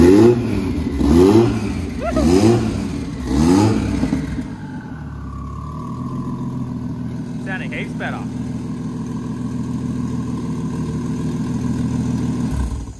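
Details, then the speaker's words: Freshly built 1SC engine in Toyota 80 Series Land Cruiser, first start with tuning and wiring issues: uneven lumpy revving then unsteady choppy idle instead of a smooth six; sounds like running on four cylinders. "It sounded like it was running real rough. Yeah, that was rough as. It was like, brrr. It didn't sound like smooth six cylinders."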